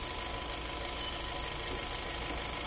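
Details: 2015 Hyundai Sonata GDI: shaky, uneven idle with dull rumble and hissy top end causing engine vibration; cylinder 4 has no compression.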